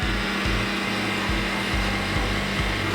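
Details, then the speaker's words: New Keurig K-Compact at first setup, reservoir filled to max: steady low hum with faint rhythmic pulsing and hiss as it heats water, manual says about 4 minutes; sound stops when hot; normal. "And now it's heating the water. It says in the manual that it will take 4 minutes to heat up the water."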